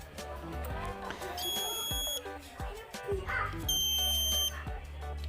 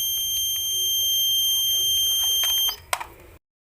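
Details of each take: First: Washing machine control module, after repairing the open 330k 2W regulator resistor plus the AC-detect and inlet-solenoid SMD transistors that caused a long beep with unresponsive buttons: crisp short high beep groups, no long error tone, responding normally. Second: Washing machine control module: one press of power gives one long steady high-pitched beep of about three seconds and buttons don't respond; caused by an open 2W 330k regulator resistor that damaged the SMD AC-detect and inlet solenoid transistors.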